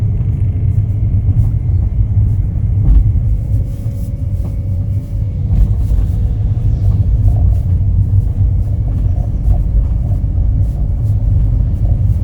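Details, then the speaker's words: Kia Ray with 338,000 km in winter, cold engine under acceleration: heavy, low rumble much louder than road noise, which fades once the engine warms. Source unknown. "주행 중에도 엑셀만 밟으면 소리가 꽤 크게 나고 멈출 거 같아요 차가 조금 달궈지면 그래도 소리가 안 들리게"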